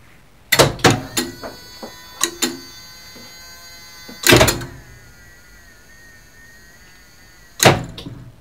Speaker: So let's listen to the relays clatter.